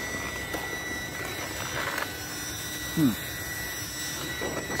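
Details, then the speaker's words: Team Associated MT8 RC truck on its first run with a Spektrum 2050kV 6S motor on 4S, 13T pinion and 120C battery: a thin, steady high-pitched whine holds its pitch over the running truck; source unclear; motor under 100 degrees afterwards. "making some noise let's see what it is"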